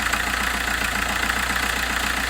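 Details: Diesel at idle with a quick regular puffing tick in time with firing and bubbles at a cracked exhaust section; owner suspects a blown joint or failed flexi pipe, not confirmed.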